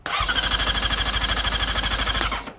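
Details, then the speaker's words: Sport motorcycle with Er-1/Er-2 display errors after a security system was spliced into wrong wires: fast, even starter churning for a couple of seconds with no firing; won't start, likely an ignition cut-out; cranks but won't start. "it obviously won't let me start the bike i'll hit the ignition for you and let you see"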